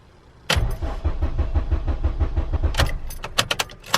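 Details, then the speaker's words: Honda EP3 Civic during IACV (P1519) repair; 15A fuse keeps blowing, pump not priming; starter cranks about three even pulses a second but never catches. "so let's take Furley here the fuel pump prime stilled in prime no it's not something's breaking at each time I think"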